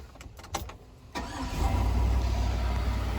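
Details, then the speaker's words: 2003 Chevy Suburban with a 5.3 V8 and 100,000 miles, long-crank hard start, after replacing a fuel pressure regulator with a failed O-ring and sitting 12 hours. A brief crank of about a second, then a clean catch into a steady, even idle. "so now it starts like a stud horse in the spring"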